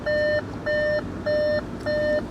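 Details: Salvage Audi Q5 Quattro with 131,000 miles, not running well: a clear high beep repeats evenly about one and a half times a second in a quiet cabin. Dashboard warning chime, cause unidentified.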